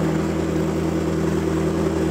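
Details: McLaren V8 after repair with used and cheap Nissan Sentra parts fixing a flashing check engine light: steady deep even idle hum, no stumble or skip, check engine light now off; firing cleanly, normal idle.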